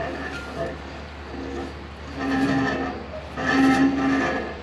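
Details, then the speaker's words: 1966 Mustang front drum brake, off the road 12 years: rhythmic squealing scrape in bursts about once a second with wheel rotation; inside of the drum hub hitting a brake spring that was installed upside down, its bow facing the wrong way. "Not sure what's hitting in there. Oh, so that sound was hitting this spring here. The inside of the hub was hitting this spring."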